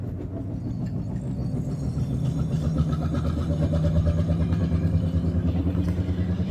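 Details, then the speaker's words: 2006 Pontiac G6, driver's side: steady low droning hum under road noise while driving, swelling with speed, loud from inside the car; a bad wheel hub bearing. "It's a real loud humming sound, so I'm going to get to the house, I'll cut you on and show you how to change it out."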